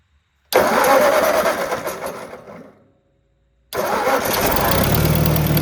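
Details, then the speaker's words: Ford Powermaster 961 tractor after replacing a bad starter with a new ratchet-Bendix unit that spins faster: brisk, even cranking, short pause, second crank catches and engine settles into steady run; new starter sounds slightly different but works well. "This one does have a little different sound to it, but seems to work really well."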